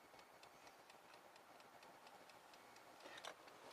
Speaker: I don't believe it. I clicked the 0 and it was ticking. I've never had that tick before.